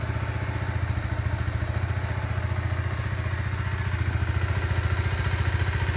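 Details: Kawasaki Z125 Pro, about three weeks old with just over 100 miles, idling warm with a steady light ticking over the low exhaust thump; the owner is unsure whether the ticking is normal.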